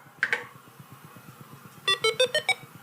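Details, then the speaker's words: Apple IIe during the built-in diagnostic speaker test, one of twelve being refurbished: two quick chirps, then five short distinct tones at different pitches, about eight a second over faint ticking, so the speaker works normally. "sounds like the speaker works alright"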